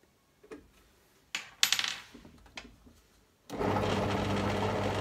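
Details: Lidl Parkside PTBM 500 E5 bench drill press (2019). After adjusting the vibrating top section with an Allen key, the motor spins up to a steady, even hum with the vibration and rattle nearly gone. Normal running.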